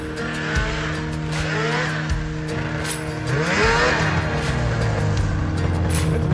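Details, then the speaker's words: ZL550 two-stroke snowmobile after a no-start fix; it had spark and the problem turned out to be fuel. Revs climb cleanly and hold a strong, even howl under throttle with no misfire. Normal running. "oh my God you're right something it just makes you smile you're right it does rip from 550 that's pretty quick"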